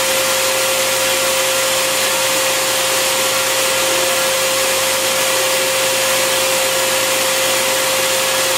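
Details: Bissell Garage Pro wet/dry vacuum in blower mode with the hose twisted in: steady rushing air and constant motor hum, no rattles or pitch wobble; normal operation.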